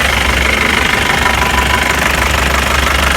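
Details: Mahindra Bolero diesel after the power steering pump was repaired and refitted, with no leaks: usual even idle clatter at a steady beat with no pump whine or groan; the steering pump sounds healthy.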